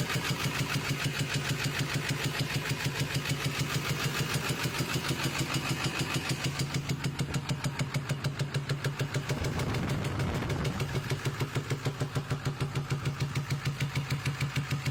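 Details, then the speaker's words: 2000 Ford F-350 7.3 diesel V8 at idle: a sharp, steady popping about three times a second that seems to come out the air intake, and the fender vibrates. It started after a turn at about 30 mph; the driver-side valve cover looked fine. Backfire through the intake suspected, not confirmed. "It sounds like it's coming out the air intake. Passenger side's quiet. Sounds like it's backfiring through the air intake."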